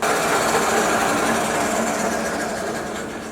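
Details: 1966 Soviet Stanko 1A616 lathe, spindle in low gear around 140 rpm: steady rapid gear chatter near four beats a second, no grinding or knocks; turning smoothly.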